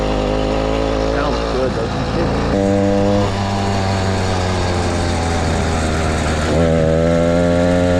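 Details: Motorized bicycle ("the Mule") small two-stroke kit engine, brought in for a no-start; buzzy drone dips, then picks back up cleanly and holds steady; running properly before teardown, which later found fuel in the float and a thin clutch pad.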